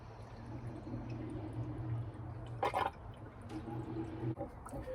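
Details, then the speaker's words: Triumph Spitfire 1500 with a new full-width replacement radiator, radiator being filled with water while the engine runs: watery gurgling and bubbling as air works out over a steady low engine hum until it is full. "Just try and pump some of it round. Can you hear it gurgling? There we go, that's full."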